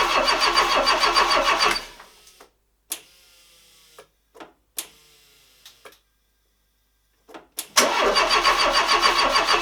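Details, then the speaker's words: Renault Trafic Mk1 van after a 2165cc 2.2 engine swap, first attempt to crank; starter spins briskly about two seconds with no firing, then cranks again; crank no start, no fuel pressure reaching the fuel rail. "right two days later and i think i might have worked out what i've done wrong we're not getting any pressure in the fuel rail"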